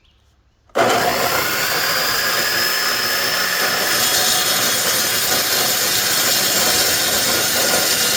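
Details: DeWalt DW871 14-inch cutoff saw, about 20 years old, previously bogging down and smoking, trial-run while being set up for miter cuts: the motor spins up to a steady, smooth high whir with no rumble or grinding. Bearings sound good.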